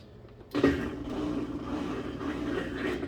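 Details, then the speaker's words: Kenmore HE top-load washer in diagnostic mode, drain pump test activated: soft, steady low hum as the pump cycles on, no rattles, lights flashing during test; normal drain pump operation. "Now we're going to go ahead and push this. You can hear that pump cycling on. Your three are flashing, indicating that the test is in action."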